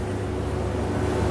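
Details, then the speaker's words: Whirlpool 15 kg vented dryer on a 60-minute dry cycle after replacing the damaged drum roller: even, low drum rumble with no scraping, thumping or squeal. The earlier loud drum noise is gone and it is running normally. "machine is running well no any abnormal noise machine is working fine no any abnormal noise"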